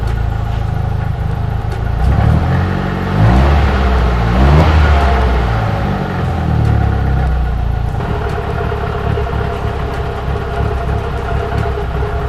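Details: Nissan S13 200SX CA18DET after cam timing and CAS reset: engine catches, a couple of quick revs, then settles to a steady even idle with no misses or knocks; running normally after repair.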